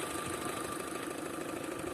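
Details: Opel Astra petrol engine idling with a light, regular knock about five a second. A computer scan showed error codes, and the knock was diagnosed as the intake manifold flap.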